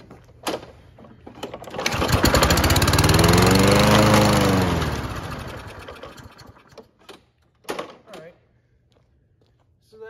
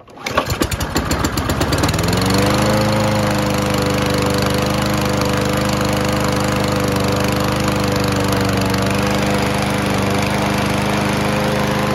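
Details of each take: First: Toro Recycler self-propelled mower, Kohler engine with heat-actuated automatic choke, sat a few months: catches, revs up, then dies within seconds running only on spray; likely dirty carburetor with old fuel. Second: Toro Recycler self-propelled mower, Kohler engine, sat a few months: after old fuel drawn from the carb bowl and fresh fuel came in, a few rough chuffs then a steady even drone; healthy run.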